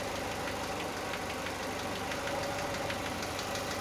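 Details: Chevrolet Aveo, cold engine at idle: fast, light ticking knock at a steady rate. Source unidentified.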